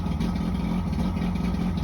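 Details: Johnson 90 hp outboard with two starboard-side cylinders misfiring; starter fluid sprayed into them gave no response, and a bad power pack is suspected. Lumpy, uneven low burble with irregular missed beats. Misfire on two cylinders.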